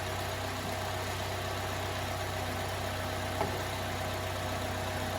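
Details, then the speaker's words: 2010 Chevrolet Malibu, freshly swapped used engine running after first start, no check engine light: steady even idle hum, no knocks, misses or ticks, quiet; normal idle. "No check engine? Light. She sounds good. Nice and quiet. Oh yeah, she's great."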